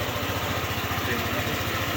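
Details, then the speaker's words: Euro Samurai 155 scooter after valve clearance adjustment to 0.6 and 0.14 (previously very loose, noisy ticking): steady, even idle with regular low pulse, no valve cover ticking; engine now quiet, normal idle. "Start mo ulit. Yan, tahimik na yung makina sir. Wala na yung lagitik."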